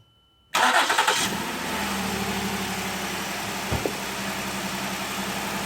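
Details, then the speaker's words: 2011 Ford Explorer that had a cylinder 5 misfire code, starting after new spark plugs (old ones had about 300,000 km) and a new PCV valve: a quick start with no hesitation, then a smooth steady idle. "it actually started a bit different as soon as this started there was no hesitation whatsoever [Music] that must be a good sign"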